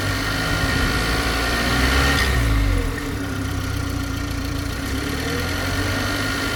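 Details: G20 BMW 330i at steady idle: constant low hum with a thin, unchanging high whine riding over it; strange idle noise, source unclear.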